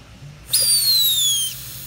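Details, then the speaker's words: Briggs & Stratton Quantum lawn mower fuel tank pressurized with line clamped, non-original cap fitted: sharp whistling hiss for about a second as trapped pressure escapes on release; cap not venting, causing poor running. "alright i clamped it this tank is holding crusher and it shouldn't be it should be breathing I'll show you do that I'll do it again let off the clamp press rather clamp it's not breathing"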